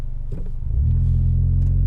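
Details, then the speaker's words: Mitsubishi Evo X with high kilometres and a rebuilt SST dual-clutch gearbox (50,000 km on rebuild), hill start in super sport mode, aircon off: rolls back slightly, then engine settles into a firm steady drone with no rev flare; clutches grip cleanly. "see straight away he went to take off still rolls back because it's like a dual clutch gearbox"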